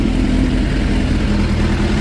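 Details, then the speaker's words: 2006 Suzuki GSX 600F Katana at idle: steady, even low idle with no rpm change when starter spray is applied to the intake boots. Boot clamps tightened, mixture screw half a turn out, iridium plugs fitted; running healthy. "But all in all, now it's running nice and"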